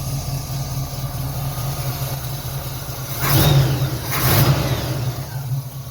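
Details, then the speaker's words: 1968 Chevrolet Camaro V8 with dual exhaust, idling at 600 rpm: steady low burble then two crisp blips climbing and falling cleanly back to idle; healthy engine revving freely. "Et ça répond quand même très bien."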